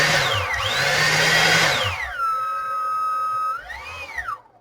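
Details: EGO 56V blower BLDC motor on an aftermarket BLDC driver, bench-tested at 0–24 V three-phase output with pot and turbo switch: whine sweeps up to a high steady pitch, holds, then winds down smoothly; healthy brushless motor.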